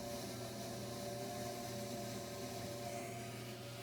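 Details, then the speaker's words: Furnace inducer fan sounds like it's struggling, a steady droning whir with low rumble and uneven chug like a train; water found in the inducer housing, furnace won't kick on, three red blinking lights. "Video, my furnace has been acting up. Hopefully you can hear this. It kind of sounds like it's struggling. Almost sounds like a train."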